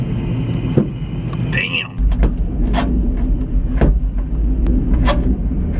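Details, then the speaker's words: Grinding rub then a sharp pop roughly every second and a half over road rumble while driving a 2013 Mustang; something rubbing, catching and snapping loose underneath, owner believes suspension-related, not confirmed. "damn it sounds like it's like something rubbing up and then catching and popping loose you know"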